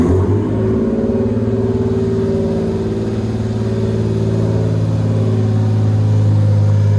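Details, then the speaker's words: Lexus SC300, bought for $600, first start-up: catches at once and settles into a deep, loud but even idle with steady firing; no resonator fitted so exhaust is loud, engine healthy, didn't skip a beat. "I literally just came here just wanted to hear the car start that was super exciting it didn't skip a beat"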